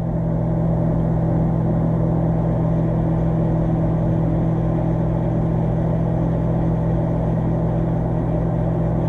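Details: Electrolux MEF30 microwave, brought in dead (would not power on), now repaired and heating: even, unbroken low transformer hum with no buzzing, arcing or crackle; the oven is running normally.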